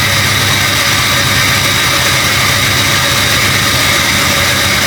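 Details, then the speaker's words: Jeep XJ first startup after new cooling system and transmission cooler work: steady, busy idle with a hissy, puffing edge over the engine note; sounds like a leak, possibly exhaust, source not pinned down. "I don't know why it sounds like a leak, you know."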